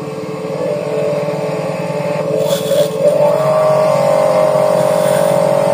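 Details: Electric jet cleaner (pressure washer) reported as not starting and not spraying, final test with the tap on and hose attached before returning it to the customer. A steady mid-pitched motor hum holds even while spraying, with no stutter or surging; it runs properly.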